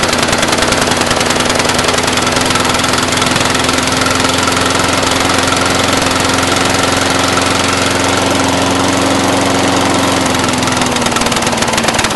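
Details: Brand-new Briggs & Stratton 450 lawn mower, under 2 hours of use: lumpy single-cylinder idle that never settles, with black smoke; it clears when tipped back, throttle has no effect, fuel is new, air filter is clean, plug is sooty, so a rough idle.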